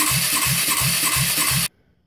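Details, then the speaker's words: 1998 Polaris 500 ATV with a blown head gasket and gummed carb from bad gas, cranking on a compression test: even chuffing at about four strokes a second, each beat equally strong. Good compression. "uh did a compression test they got good compression"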